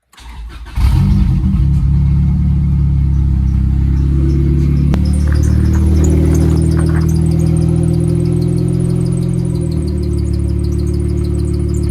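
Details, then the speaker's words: 1996 Acura Integra GS-R with a rebuilt, turbocharged engine, started after new oil lines were fitted and oil topped up. It catches quickly into a loud, steady, even idle with no knocks or misses, holding just above 70 PSI oil pressure with AFR slightly rich. "So far, so good. All right, so as you can see here on our gauge, it's super loud, but we're holding just above 70 PSI of oil pressure, which is really, really good."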